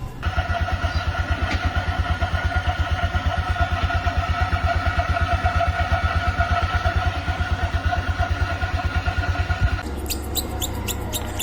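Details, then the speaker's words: Scooter CVT running at idle with a wet belt and wet drive face (front pulley): a thin, steady high squeal, like a mouse in the CVT, over an even idle putter. It is a wet CVT belt squeak that fades as it dries from heat and air. "Yung iba nga po ay ganito yung tunog, nakala mo may dagang bubuwit sa loob ng kanilang CVT, ano? Pero mawawala din po ito sa init at sa hangin pag ito po ay natuyo na."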